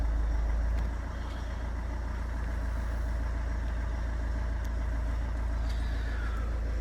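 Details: Copart non-runner unrecorded diesel car, restarted after door-module fault and engine management light cleared: steady even low rumble settling into a smooth idle, no misses or knocks; normal idle.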